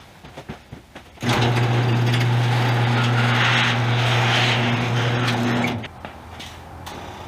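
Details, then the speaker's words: Yamaha Royal Star Venture after a carburetor rebuild, first crank with a completely dry fuel line, petcock on: a steady electric hum for about 4.5 seconds, then it cuts off. The fuel pump is priming, hopefully drawing fuel. "there's the fuel pump hopefully that means it sucked up some fuel"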